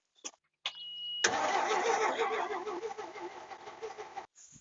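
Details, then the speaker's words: 1964 GMC grain hauler, 401 Magnum V6, 87,000 miles, long unused, with fuel poured in: the starter spins, then a rough three-second burst of firing fades and dies; it catches briefly but won't keep running. "Hey, that sounded like a start. Well, she snorted, guys."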